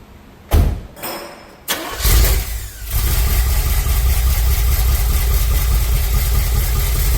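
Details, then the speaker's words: Chevrolet Impala V8 on first start-up after a cam install, with the distributor power wire briefly pulled: it cranks, catches after a couple of tries, then lopes at a deep, uneven idle because ignition timing is a little off, before cam break-in at about 2270 rpm. "Timing's a little off. Uh, let's see. Timing is a little bit off."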